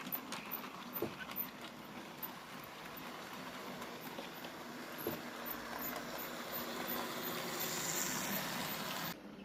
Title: I wonder what the squeaking sound is? Maybe the tender? 🤔